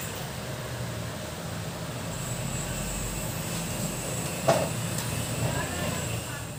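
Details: Kevler KR-310A powered speaker: low steady hum with no signal, unchanging, with a few faint knocks over it.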